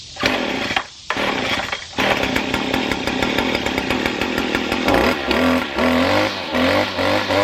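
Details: Two-stroke weed trimmer after the bog-down fix: fires and holds a steady buzz, then revs up cleanly and freely with no bogging; runs properly.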